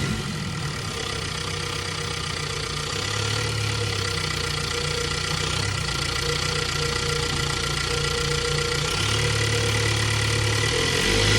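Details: 2022 Ford Bronco 2.3-liter engine at steady idle with a fairly regular tick of roughly 220 per minute over the engine hum; abnormal engine noise, source not pinned down.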